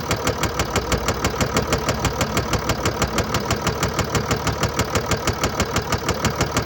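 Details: 2013 Mercedes-Benz E350 4Matic, 2987cc 265PS diesel (engine code NZAAB501), 224,763 km, at idle. A hard, even, deep knock about three times a second rides over the idle. Attributed to bearing damage and a defective injector.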